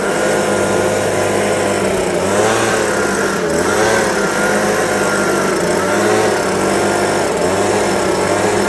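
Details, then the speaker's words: New Stihl leaf blower under two-year warranty: runs fine at full throttle and idles well, but at about half throttle engine speed rises and sags every couple of seconds, hiccuping like it wants to shut off; owner suspects an adjustment issue. "at full throttle it's good and it'll idle good about half throttle it hiccups like it keeps wanting to shut off so it's probably some type of adjustment there"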